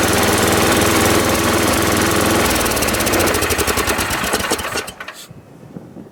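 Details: Ariens 824 snow blower, Tecumseh HMSK80 engine, after carburetor repair (jets cleaned, float bowl and gasket replaced; owner believes an air leak at the old gasket caused surging): runs steady at an even low putter without hunting, then is shut off cleanly.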